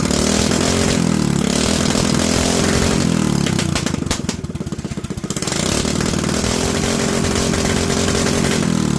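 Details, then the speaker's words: Predator 212 single-cylinder with 98 main jet and .02 idle jet: burbles unevenly and sags at about 3000–4000 rpm, way too much gas; rich midrange from oversized main jet, going back to the 95. "remember that chart that we started with and we talked about moving the coverage now at about 3 000 RPMs 4 000 RPMs we've just got way too much gas"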